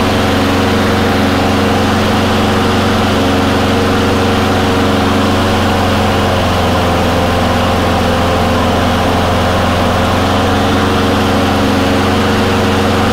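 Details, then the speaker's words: Surging Honda mower after cleaning water or debris from the carburetor bowl and fitting a new gasket: steady, even idle with no hunting or surging once the choke settles; running right. "yeah seems to be working pretty good now when you have this problem it's probably from like i said either water or junk in the uh carb primarily the bowl"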